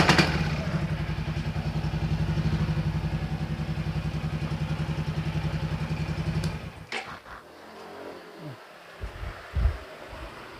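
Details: Yamaha XMAX 300 scooter, hard starting and unable to idle, during repair adjustment: single-cylinder idle with an uneven lumpy stumbling beat, then shuts off, handling noises follow.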